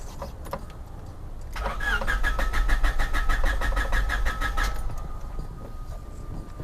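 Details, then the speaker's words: Car cranked after distributor work, jump-started so the alternator recharges the battery. Starter spins at about three even beats a second for three seconds and never catches: a newly installed kill switch was left on, cutting ignition. "oh you know i forgot the one thing that we got installed in here it wasn't started because we installed a kill switch and i forgot to turn off the kill switch"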